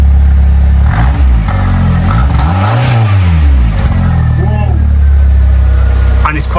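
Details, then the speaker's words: Fiat 500 after a new head gasket and exhaust repair, first revs after sitting: clean, deep exhaust note swelling and falling with each throttle blip, a touch throaty at the back, no blowing or rattles, no leaks. Normal. "It's got a little bit of a throaty sound to it as well from the back."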